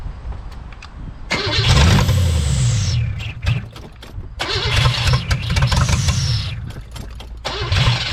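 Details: 1983 Buick Estate Wagon, not run in 30 years, with new plugs, wires and fuel pump; it surges on catching, sputters in uneven bursts and dies, never idling; it is getting fuel, and the owner suspects old gas.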